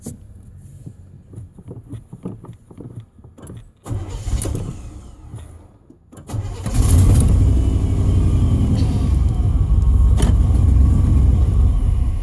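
Ragged cranking and sputtering for several seconds, then it catches and runs only rough and uneven. Fuel starvation is suspected.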